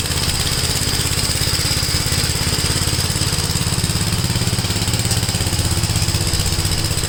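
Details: Gravely tractor running brush hog mulcher deck via PTO after clutch adjustment: steady single-cylinder chug with blade whirring, no wobble or knock; owner unsure tractor has enough power, blade noticeably taking power. Normal running under load.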